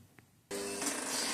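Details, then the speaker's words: 2009 Kawasaki Versys, no crank no start; battery weak and old after a month on trickle charger: fuel pump primes, starter switch clicks, then starter solenoid chatters with a harsh buzzing rattle, no cranking. Cause was the battery. "Essentially, what you're hearing there is the fuel pump going on to prime the engine and then you hear the clicking of the starter switch and then the starter solenoid just vibrating. It can't do much more than that because it doesn't have enough power going into it."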